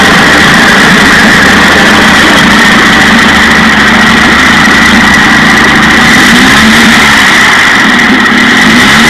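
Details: 1956 Johnson 15 HP two-stroke outboard after new points on the misfiring top cylinder, which had no spark. Loud, even buzz at a steady fast idle with no misses or stumbles: normal running after the repair.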